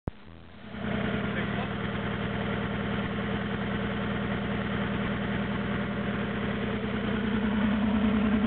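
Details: Toyota AE86 with naturally aspirated 4AGZE, Bluetop ECU and injectors, mixed pistons with compression issues, first start with no exhaust: loud, raw barking idle with an uneven, lumpy pulse about three beats a second.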